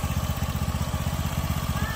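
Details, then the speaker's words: Honda Beat scooter, owner complaining of excessive noise: engine run with parts removed to check for noise underneath; quick, even low putter with steady beats, no rattle or knock; normal idle, engine bottom end has no problem. ">> yan so finally walang problema yung engine natin dito mga boss ilalim"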